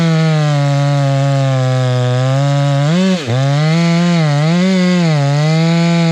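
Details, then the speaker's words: Stihl MS 461 chainsaw with Westcoast Saws kit and Maxflow air filter, carb limiters removed, cutting wood: steady note then burbling, sagging four-stroking when not loaded hard; carburetor running plenty rich, could be leaned out. "we can lean that in and make it a little bit zippier but uh she's running plenty Rich you can hear that four stroke if I'm not in it hard"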